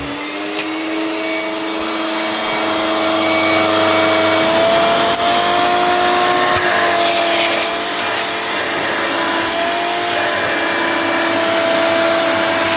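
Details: Hoover Turbomaster U5094 upright vacuum after refurbishment, brush roll off: steady, even motor whine with slight rise and fall, no rumble or grinding. Both motor bearings had been seized, fancase one spinning on the armature shaft; now running smoothly.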